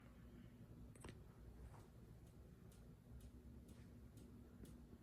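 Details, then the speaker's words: Minka Aire Volterra ceiling fan: quiet hum with a light, sharp click repeating about twice a second; clicking later stopped. "hey um you hear that clicking noise you hear it"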